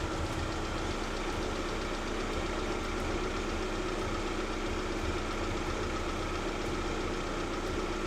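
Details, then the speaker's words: Lada Vesta at idle just after warm-up (revs dropped from cold fast idle), after oil pickup O-ring replacement: faint irregular tapping three or four times a second; owner hopes a hydraulic lifter will bleed, commenters suggest pistons; source unconfirmed. "постукивает где-то. Сейчас подождём, может прокачается ещё."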